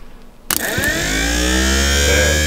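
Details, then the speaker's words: 1953 Oldsmobile 98 power window hydraulic pump bench-tested by jumping its solenoid, as a dry run without the pump gear. A sharp click, then the motor spins up quickly and settles into a steady, even hum: a healthy pump running. "that's cool that's good that's the sound you're going to hear when you hit the windows"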